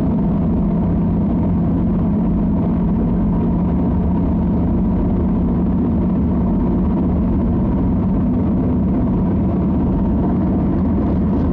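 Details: 2006 Toyota Camry after its underside was struck: steady deep rumble while driving that grows with speed and varies in turns. The CV boots are intact and the oil pan nut is leaking; the cause is unknown.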